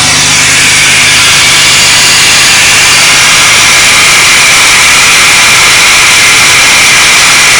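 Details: 3800 Series II supercharged engine at idle: steady loud airy hiss, newly appeared, coming from below the ignition area, with a visible leak; suggests vacuum or boost air leak, source untraced.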